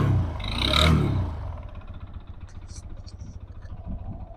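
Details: TVS Apache RTR 160 2V BS6, check-engine and service lights on: rev burst then light uneven ticking rattle near four per second over idle; timing chain ruled out, excessive play found in a part by the magnet coil, suspected source.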